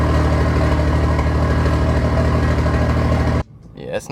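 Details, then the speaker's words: Turbo BMW E30 with a big Tomei part, back on the stock intake with an E30 mix retune, on a cold start: a deep, steady, even rumble, not harsh or overly loud, then it cuts off. Healthy cold start. "it's not too loud on cold starts. Turbo life, but I'm happy with it. It sounds good."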